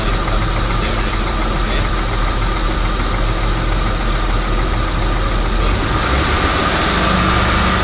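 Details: Steady, even engine idle with a constant hum and no squeal or chirp from the belt or alternator pulley. Normal idle.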